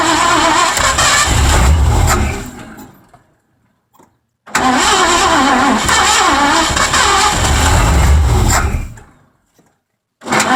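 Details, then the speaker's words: Ford 302 V8 in an 1984 Mazda RX-7 with C4, sat 9 months; ignition timing being slowly advanced toward the sweet spot. Engine catches, runs unevenly a few seconds, dies, restarts twice: rough running and stalling before it finally runs. "all right so I'm slowly advancing the ignition timing and we're just going to keep going at this till we find The Sweet [Music] Spot"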